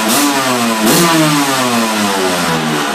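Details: 1999 Honda CR125 two-stroke after a cold start, smoky while cold: crisp ring climbing and dropping cleanly with each throttle blip, no misfire or rattle; healthy engine revving freely.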